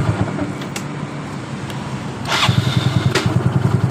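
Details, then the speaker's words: Yamaha Mio Soul scooter, rough noise when the electric starter is pressed and again at shutoff, normal while running: rough pulsing rattling grind at switch-off; starter motor or one-way clutch suspected. "Apa permasalahan di bagian dari suara kasar ketika kita memencet dinamo starternya seperti ini. Tapi saat motor sudah hidup dengan normal, suara kasar tadi hilang."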